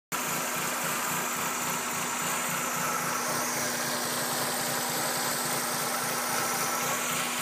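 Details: 1996 Mazda Miata 1.8L petrol engine idling with an uneven, lumpy pulse and a faint steady hum behind; rough idle, cause unknown.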